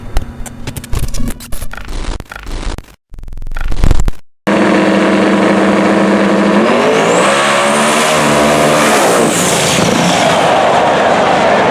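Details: Twin-turbo El Camino: choppy, stuttering crackle with dropouts before settling into a steady high rev; engine misfire, cause unclear.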